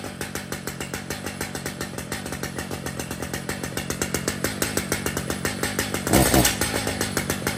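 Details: Brand-new Stihl MS 881 chainsaw with 36-inch bar and chain, freshly set up and tuned: idles with steady even beat, no stumbling or hunting; normal running.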